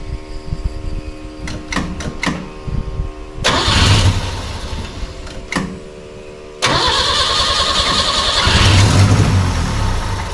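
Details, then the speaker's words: Roughly 60-year-old car after gasket work: cranks, catches, stumbles and dies, then restarts and revs roughly. The vacuum advance was left unhooked, causing a huge vacuum leak. "I'm a big doofus so I didn't hook up the vacuum advance so there's a huge vacuum leak"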